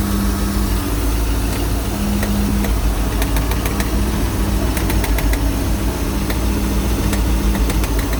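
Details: Mercruiser 260 5.7L V8 at idle: rough, deep idle with sharp, uneven knocks about every second, heard only at idle and gone as rpm rises; source not yet traced.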